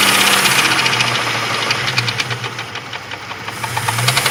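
Sharp, fairly regular ticking knock about four times a second over a hot idle, clear and metallic from the engine.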